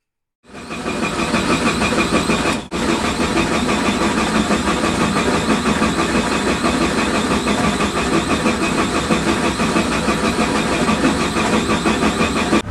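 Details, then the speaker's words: Suzuki Vitara cranking but not starting: long steady starter cranking at a rapid even beat, engine never catches; scan tool shows engine RPM reading zero or way off while cranking, pointing to crank sensor reporting. "We can hear that the engine is turning over, but the RPM is either reporting zero or something way out of line in the"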